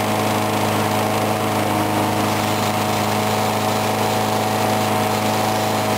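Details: Briggs & Stratton mower engine cold-started at 35°F after long sitting, water suspected in the gas; started first pull. Steady even drone with smooth low hum, no misses or surging throughout; normal running.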